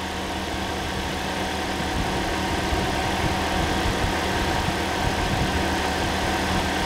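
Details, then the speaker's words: Second-hand Toyota Corolla four-cylinder just refitted, first run after priming: quiet even idle about four beats per second, fan hum behind (possibly from air conditioning); no engine lights, smooth and healthy. "That sounds gorgeous. Started nice and easy, it was already primed, and we turned it over a few times. Yeah, always a worry with the second-hand engine, but that sounds alright."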